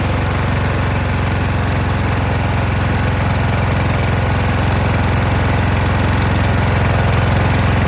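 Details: Kohler Courage engine on a tractor, after a donor-motor carburetor swap whose choke springs back by itself; started choked, winter, engine cover off. Strong, even chug around three pulses a second with no misses; runs well.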